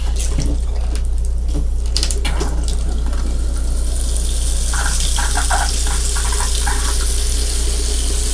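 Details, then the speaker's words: Gulf Stream Endura Super C Duramax diesel motorhome under rebuild, water turned on for the first time in ages: water rushes hard from the tap with irregular spits and bursts as trapped air clears from long-unused lines. "clear out those lines probably been a million years since those"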